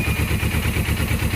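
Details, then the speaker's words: Suzuki GS500 twin, low on oil, starter previously slipping past the ring gear: even regular idle pulses with no tapping or clatter after starting; noise gone this time, normal idle. "Opa Eita que acabou o barulho acabou o barulho ó ó oh caraca ó"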